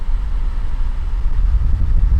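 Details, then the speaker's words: 2017 VW Golf Alltrack (MK7) new HVAC blower motor, part 5Q1819021E/H/B, replaced after it made noise: steady, even low rush of air at max speed with no ticking or scraping; healthy blower. "It sounds like it's making noise, but that's just the motor. That's fine. Alright, I guess it's the sound of airflow. There it is at max speed."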